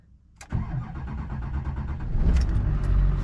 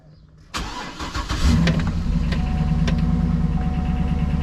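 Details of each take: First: Duramax diesel truck with 237,000 miles, started after hand-priming the fuel system because of a leaky fuel pickup O-ring: short crank, then catches cleanly and settles into a steady, even diesel clatter; normal start. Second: GMC Denali with LS engine, cold start: catches into fast idle with light ticking on top; noisy lifter, slow oil pressure buildup from rear pickup and long tube.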